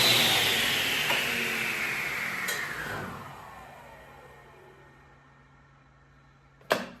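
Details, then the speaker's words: SawStop table saw on a retractable cord, likely 15 amp: motor starts with a high whine, then cuts out and coasts down with falling pitch as the cord's breaker trips on start-up draw; a 20 amp circuit is needed. "And that didn't last long. Not use my retractable cord. Um, that actually flipped the breaker on retractable cord."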